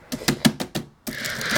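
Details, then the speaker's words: Old Windows 7 laptop keyboard (Pentium era, battery removed): crisp, separate key taps, about five in under a second, then smooth typing run; this keyboard's keys are clean, unlike another whose keys clicked from debris underneath; normal healthy key clicks. "these keys have junk under them that makes them clicky to this one perfectly fine so look at that mechanical beauty"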